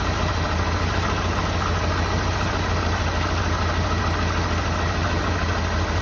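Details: 1984 Jeep Wagoneer with carburetor and electric fuel pump, first start after sitting, choke high idle knocked off: steady, even idle with a smooth low rumble, no knocks or misses; engine running cleanly and settled.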